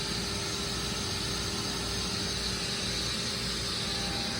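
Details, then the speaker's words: Truck exhaust after shop installed Flowmaster muffler and 3-inch pipe, leak check: constant airy hiss with no engine beat, air escaping under pressure; exhaust manifolds leaking on both sides despite claimed repair, driver's side leaks smaller. "There's all the exhaust manifolds. Let's check the exhaust manifolds. That's leaking right there. That's leaking."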